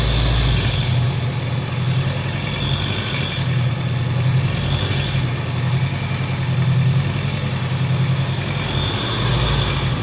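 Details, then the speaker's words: Honda CB 500X idling: fast, dry mechanical clatter seeming to come from the cylinder head, actually normal engine noise escaping through a loose breather hose opening; simple fix. "é justamente porque todo o som do funcionamento do motor ele tá saindo pelo buraco do respiro aí então por isso que você escuta o barulho de mecânica mesmo ali batendo né"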